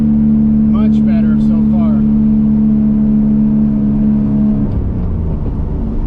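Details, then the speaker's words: BMW E46 with M52 engine, headers and muffler delete after adding a salvaged resonator, driving: steady drone at higher rpm at low speed, then lift-off winds down cleanly with no popping on overrun. "definitely louder than it was but I could live with that just driving reasonable"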